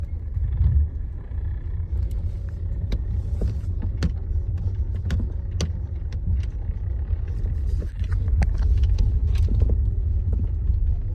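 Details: Lada Granta FL driving on road: dull irregular thuds over steady road rumble, landing on bumps; knock in the suspension.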